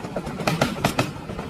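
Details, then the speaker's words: Train wheels rolling over rail expansion joints (SEJ), the gaps left so the rails can expand and contract with heat: quick sharp clacks in close pairs, normal joint noise. "इसीलिए जब S E जे से गाड़ी गुजरती है तो आपको खटखट की आवाज सुनाई पड़ती है।"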